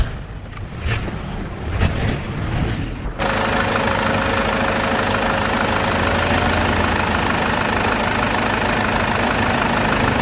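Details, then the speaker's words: BMW E60 520d, M47 diesel, after replacing the automatic belt tensioner, idler pulley and belt (belt had squealed at start-up and shutdown): smooth, even diesel idle with no squeal or chirp. "ก็เป็นที่น่าพอใจนะครับ หลังจากเปลี่ยนชุดตั้งสายพานลูกลอกแล้วก็เปลี่ยนสายพานใหม่เรียบร้อยแล้ว"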